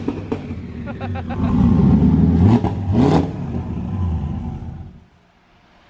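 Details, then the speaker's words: Turbocharged car after a manifold crack exhaust-leak repair and four leaky injectors replaced without a retune: revs rise and fall back unevenly and hesitantly; still stumbly, needs a dyno retune. "Hey, now it's acting normal. It's still stumbly. Does the computer self-learn? No, it's got to be retuned."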